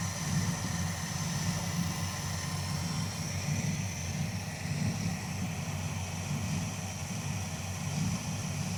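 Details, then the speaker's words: Crew cab Charger V8 at idle right after an oil change: a tick heard at startup faded once the oil circulated, but the rough, uneven idle with stumbles and an irregular lope returned, a recurring idle misfire. "She's back to misfiring again. Dang it."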